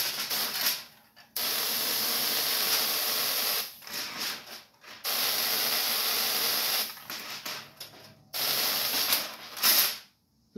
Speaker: noise is a Corona discharge so that's why you hear that noise and why it's not producing a lot of thrust